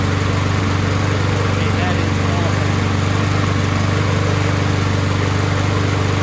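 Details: Husqvarna push mower's small single-cylinder engine, pulled from a curbside trash pile, after carb removal and cleaning of deposits from the jet, starting on its own and holding a steady, even drone with no misses or surging: normal running.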